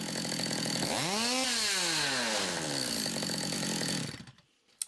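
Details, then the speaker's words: Stihl MS200T chainsaw after replacing broken centrifugal clutch springs, run up without chain over a rag: revs climb smoothly, pitch dips as the clutch shoes move out, grab and spin the drum, then wind down cleanly; normal clutch engagement. "So you can see that moved out, grabbed hold of that and spun it round."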